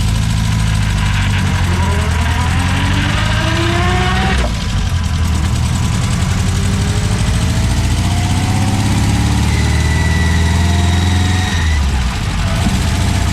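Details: 1964 Triumph TR4 on first drive after DIY rebuild of TR3 3-synchro gearbox and overdrive, hot 95-degree day: revs rise and settle through gear changes with no whine, grind or clunk; gearbox solid, though overdrive solenoid not engaging.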